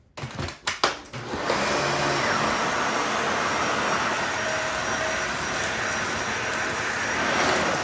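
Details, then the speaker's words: Dyson vacuum on hard floor, repeat pass: a few handling knocks, then steady, even high whoosh with no surging or choking; performs normally, debris goes to the bin, pre-motor filter protecting motor. "You see how much better it performs on hard floors too?"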